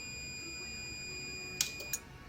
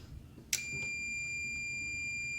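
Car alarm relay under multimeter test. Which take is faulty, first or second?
second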